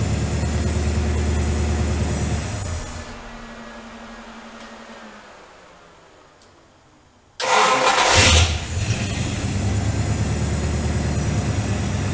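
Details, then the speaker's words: Jeep YJ with AMC 401 and headers, hot restart after heat-soak fix: hot engine cranks briefly, catches at once, blips and settles to an even idle, no slow heat-soak start; starter may hang slightly on flywheel. "all right but she definitely doesn't seem like she's having the problem anymore"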